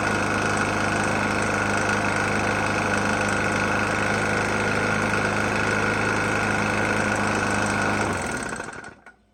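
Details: Murray E450 mower, Briggs & Stratton engine, oil found nearly empty and topped up, restarted after running out of gas: rough small engine with a steady knock of three to four per second, running on then stalling; cause unknown.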